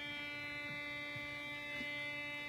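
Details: Computer monitor switching power supply RFI received on an indoor LF/MF loop antenna via AirSpy Discovery receiver: steady buzzy hum with a ladder of evenly spaced whistling tones; antenna orientation nulls it.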